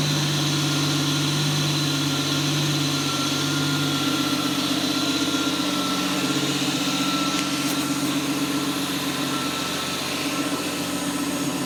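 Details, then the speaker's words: Toyota BJ40 LandCruiser with twin-turbo 1GZ-FE V12, first start on a new Haltech Elite 2500 ECU base map with timing set: smooth, fast, even idle burble with a faint steady whine, no misfire or knock. "There's absolutely zero tuning involved here. That is just the base map."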